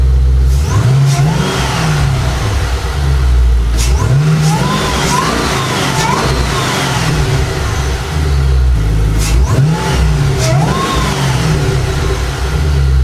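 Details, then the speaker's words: 5th-gen Camaro ZL1 V8 just fitted with a Rotofab intake and K&N filter, free-revving: deep bark rising and falling cleanly through several blips, steady return to idle, no stumble or whistle. No check engine lights, idles fine, no suspected vacuum leaks; sounds healthy. "right, well that sounds pretty good to me. I didn't feel anything weird. It's not no check engine lights or anything are on. It's idling fine, so I don't think I have any vacuum leaks."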